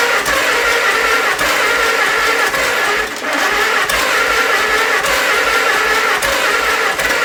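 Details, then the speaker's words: 1948 Farmall C tractor, long-stored, first start on fresh gas: loud, rough run with a lumpy beat about twice a second; compression test shows only one cylinder has compression, likely the only one firing; owner suspects stuck valves. "So, I've got compression in one cylinder. That is probably the only cylinder that I hear firing."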